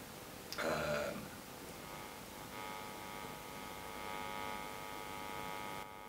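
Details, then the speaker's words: Bassman Micro guitar amp build: after a brief clatter, a steady buzzy mains hum from the output transformer picking up the field of a nearby toroidal power transformer, heard while testing positions; hum varies with placement. "this is a toroid uh transformer so it shouldn't hum that much if you use a normal transformer the effect will be greater"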